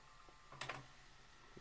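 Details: Emerson VCR that won't fast forward or rewind when stopped: quiet click and brief weak whir as deck tries to spool, then shuts off; owner first suspected mode switch, main drive belt slipping.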